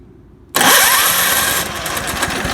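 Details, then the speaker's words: Tecumseh 5 HP engine with 110-volt AC electric starter after shimming the starter tight against the shroud: quick whir as the starter engages, then the engine catches and settles into a steady run; clean start. "gas she works good like I said if this isn't spaced properly and it's away from the housing of hit an eighth of an inch or so you'll hear we it'll spin but it won't engage the starter teeth"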